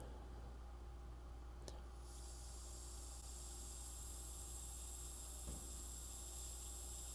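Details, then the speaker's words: KTM 300 XCW two-stroke engine (2024–26), crankcase pressurized to 3 psi with no engine running: steady faint high hiss of air escaping. Leak traced to the stock crankcase pressure sensor holder joint; the engine should hold 7 psi. "can you hear that pressure coming out? I'm at 3. You can hear it flying out of the engine."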